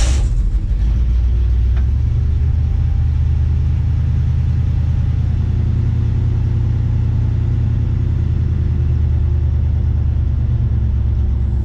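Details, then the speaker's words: International 1210 with FiTech EFI, after cleaning plugged fuel filter between FiTech unit and fuel pump: steady even low rumble, no misses or stumbles, fuel pump almost silent; normal running. "so I got it all cleaned up put it back together started right up ran fine haven't had any problems since fuel pump was almost silent"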